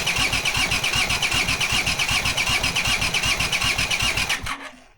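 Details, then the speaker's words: Honda CX500 engine on a bench test rig with no exhaust and no cooling: steady starter cranking, about two and a half compressions a second, never fires; fuel coming out of cylinders, no ignition, coils suspected wired the wrong way around. "So, I thought maybe the coils are the wrong way around and that's why they're not firing at the correct moment."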